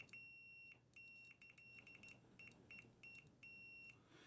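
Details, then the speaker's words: Custom drone build, multimeter continuity test: crisp, high-pitched beeps with a steady tone each time the probes touch. All the small holes are grounded to one another, so continuity is good. "Let's see. Okay, so all these holes are grounded to one another."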